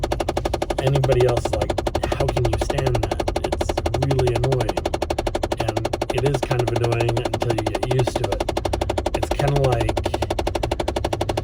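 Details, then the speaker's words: Car cabin while driving, after switching climate control from warm back to cool: steady light ticking about four per second over road noise; blend door actuator tapping, recurring until it subsides. "on the phone and it starts up we're like hold on it's happening and then we have to wait until the tapping subsides and then we talk again"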